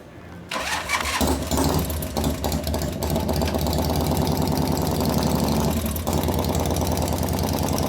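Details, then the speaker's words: 1988 Harley-Davidson FXR V-twin after cam change and pushrod adjustment: fires into a lumpy idle with a quick loud ticking clatter on top; one lifter still pumping up and noisy, which one unknown. "Still pumping. One of them's making a lot of noise. Not sure which one."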